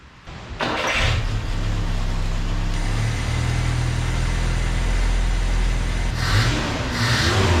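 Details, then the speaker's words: Carbureted truck after a carb swap, with float level reset, old screw removed and distributor cap and coil wire refitted: engine catches and revs, then sags and stumbles toward dying after the blip; stall after revving, cause not yet found. "better when I did a little rev up and then just immediately try to die do y'all hear here and that's what I was trying to figure out what the hell's going on"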